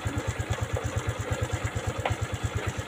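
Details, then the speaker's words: Honda Supra X125 FI single-cylinder after fixing lost compression (rocker arms previously possibly swapped; kick now firm), starts on one kick and electric start; steady, even idle thump with no misses or rattles, normal idle. "Sekarang, cukup tekan sekali dan akan mulai. Suaranya juga halus."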